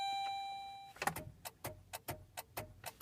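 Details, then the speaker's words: 2007 Saturn Ion, cold start after sitting unused: a chime, then steady rapid clicking about three per second with no cranking. Battery power is suspected insufficient, though it charged fine and the car later started; loose wiring is suspected. "She's got enough to beep, but not enough to crank her over. It must really take a hell of a lot of juice to get this thing going."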